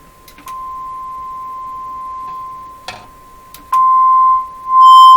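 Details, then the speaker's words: Eatons Universal Electrohome floorstanding tube radio, audio test tone injected from signal generator: clean, undistorted steady tone rising in level; audio stage working fine. "well that sounds just fantastic"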